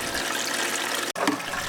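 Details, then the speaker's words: Reef tank plumbing with a strong water pump running, before the muffling cap was fitted: loud rushing, gurgling water from the uncapped internal overflow standpipe draining into the filter. Loud overflow drain noise, reduced once capped. "Now that we've fired up the system, it's a strong water pump, and it comes with a strong water pump noise. It also generates a goodly amount of flow."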